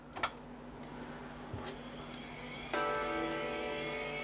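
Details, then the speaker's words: Power Macintosh (February 1995 board) switched on with Apple Performer Plus monitor: click at switch-on, then clean sustained startup chord fading slowly; normal startup chime, hard drive spins up, happy Mac appears. "so we have a chime I can hear the hard driv spinning up"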